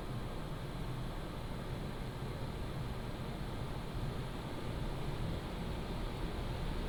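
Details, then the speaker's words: PCcooler DT360 ARGB Display 360mm liquid AIO, pump and radiator fans at medium fan profile under Cinebench load, mic moved away from the pump: a steady, even airflow whoosh with a soft low hum and no ticking, rattle or pump whine; healthy. "I am going to run up the uh Cinebench to let you hear the load. Again, the profile on the fans are at medium."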